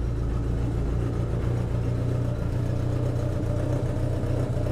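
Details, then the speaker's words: 1981 Yamaha XS1100 Midnight Special after cleaning clogged idle (pilot) jets; previously would not idle off choke. Warmed three or four minutes, now fully off choke: low, steady idle, even beat, no misses, then revs happily; normal idle. "well idling well let's give it some throttle [Music] sounds good doesn't it"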